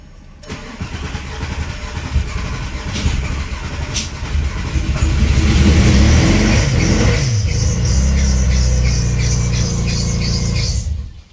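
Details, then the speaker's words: VW VR6 built engine first running after fuel filter O-ring repair; it catches and revs with a lumpy, uneven pulse, sounding like a four-cylinder; misfiring. "What, you got a freaking 4-cylinder in here? That is off."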